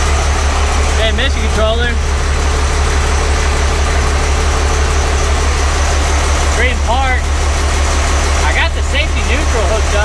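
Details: Truck recovered from the woods seven months earlier, just brought back to running: deep, even idle rumble with no knocks or misses, birds chirping nearby; owner notes high oil pressure, possibly something plugged.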